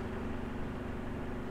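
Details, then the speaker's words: Cheap household fan after re-oiling its dry, nearly seized motor bushings: low, smooth, even hum with no rattle, scrape or squeal, motor spinning freely and quietly, tried at different speeds. "I have it plugged in. Beautiful. Quiet. No problem at all. Try a different speed."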